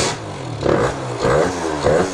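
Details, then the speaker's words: Stock Yamaha Zuma 50cc scooter rebuilt with Stage 6 70cc two-stroke kit: newly hooked-up electric start gives three labored cranking surges without catching; starter sounds weak and seems to grab or bind, cause suspected, not confirmed. "We just hooked up the electric start. Sounds a little crazy. I don't know what's grabbing in there."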